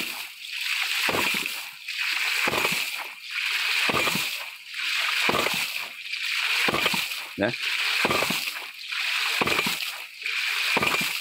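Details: Mini hydraulic ram pump (3-inch pump, 5-inch tank, 3-inch waste valve), 7 m input fall, pumping to 100 m vertical (10 bar) through 400 m output pipe: a regular sharp slap of water about every 1.5 seconds, steady and unbroken; cycling properly.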